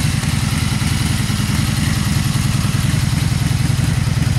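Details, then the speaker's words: 2002 Honda Magna V4 motorcycle, already warm, no choke, in neutral, after carb rebuild and clean with new in-tank fuel filter and fuel line: steady, even idle thump, roughly three beats a second, no misses or rattles; normal idle. "let's go ahead and start it up and hear this baby purr don't eat no choke this is already warm up neutral neutral [Music] it sounds pretty good"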